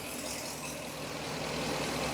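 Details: 2017 Ford E450 with 6.2 petrol V8, diagnosed for a cylinder 3 misfire, idles after a hose was tightened with an even low rumble and no audible stumble or knock, though it seems slightly strained.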